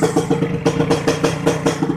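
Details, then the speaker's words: Kawasaki Ninja R 150 two-stroke after fitting a modified King piston with a dead-skip piston pin. Even idle popping about seven times a second, with no rattle, knock or misfire; runs smoother than with the Eriking piston. Normal idle. "Ini video setelah kepasang, suara mesinnya juga halus,"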